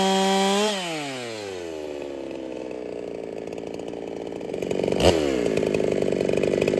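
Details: Ported Holtzfforma 395 chainsaw after build changes: screams high, then pitch sags and bogs in the cut; cut RPM about the same, owner feels it runs slightly worse; rings may need seating, unconfirmed.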